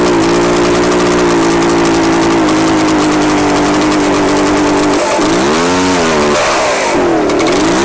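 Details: Echo PB-755ST two-stroke backpack blower on fresh two-stroke mix with Seafoam, replacing stale green fuel. It runs fairly steadily, then sags and surges twice. It is better but still uneven and needs the hidden carburetor adjustment.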